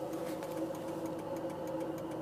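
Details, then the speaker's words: Cold-start rattle on a 2004 Volvo S40 manual diesel with 187,340 miles: fast, even light clicking rattle over a steady idle just after starting, which goes away once the engine warms up; cause not identified. "If we just get the door shut and get the car started, so you hear that clicking sound, a little bit of a rattle there as you start."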